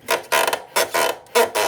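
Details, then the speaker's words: Yamaha YBR rear suspension pumped by hand, engine warm after riding: sharp, squeaky creaks in pairs from dry swingarm pivot bushings, worn with age; the pivot bolt is loosened with a 17 mm wrench to fix it. "Vocês estão ouvindo isso aqui é embuchamento pessoal de balança esse parafusinho aqui ó as buchas de dentro elas estão seca certo"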